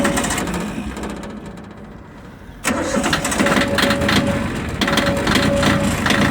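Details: Yanmar YM1610 16 hp four-wheel-drive diesel tractor with 583 hours; first crank fails, then it catches on the second try and settles into an even, steady idle. Normal diesel start and idle.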